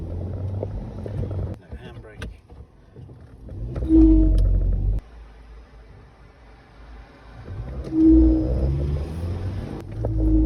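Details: Ford Grand C-Max: mid-pitched whooping whine rises each time the car pulls away, including on a slight incline, then fades once moving; the selling garage could not replicate it; source unknown.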